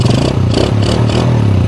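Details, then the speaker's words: Yamaha Jupiter Burhan motorcycle that would stall and not hold idle, after idle screw adjusted: engine blips up then settles back to a flat, steady idle without stumbling or dying; normal idle after rev. "biasanya motor ketika motor itu norma yang maksudnya norma itu langsamnya datar enggak naik turun"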